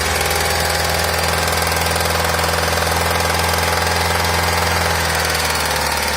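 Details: 2006 Nissan X-Trail T30 engine knock at 1000, 2000 and 3000 rpm: rough, fairly regular knocking about three to four per second over steady hum, after a few hundred km driven with only a third of the oil, often at the rev limiter.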